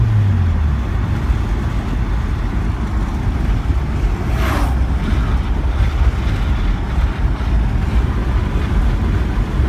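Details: BMW 330ci petrol engine idling with a deep, uneven, lumpy rumble close to stalling; it has no power and bogs on acceleration, and it starts after about 10 minutes of running. Cleaning the MAF and idle air valve didn't help.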